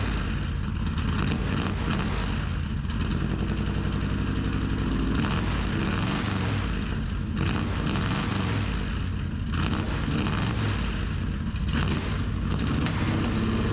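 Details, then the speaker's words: 1974 Chevrolet C10 small-block V8 with new tailpipes: deep, loud open-pipe burble with throttle blips rising and settling cleanly; healthy, normal exhaust note. "sounds pretty good we even Drew Chin's attention"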